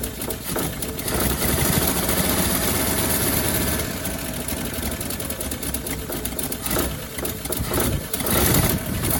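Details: 1957 Chevy Bel Air after sitting 30 years, gravity-fed fuel, idle turned up; water pump or generator seized: rough idle with fast uneven puffing tick through the exhaust note; massive exhaust leak.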